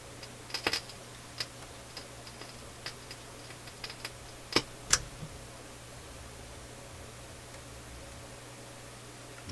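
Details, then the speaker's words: Philips console stereo receiver on auxiliary input, ear near the speakers; irregular sharp crackles and pops over quiet hiss, in both speakers but different and mostly in one channel; audio crackling. "ok so I can up here we got my ears up near the speakers and there is crackling coming out of both speakers but it's not the same crackling mostly out of the other this way channel"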